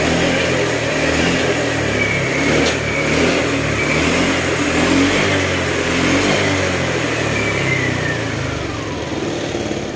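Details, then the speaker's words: Honda Click scooter after repairing mixed oil and coolant and refilling with new oil: even idle, clean pickup on a blip, no knocking, earlier noise gone; slight valve tick from clearance; running normally. "Okay, yan mga sir, maandar na oh. Wala na yung maingay."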